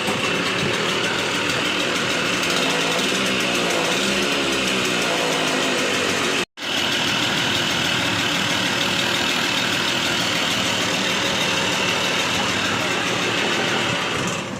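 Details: TVS XL Heavy Duty moped engine before full engine rebuild, heard running: steady, buzzy, rattly note with a harsh metallic edge throughout; engine sounds tired and worn.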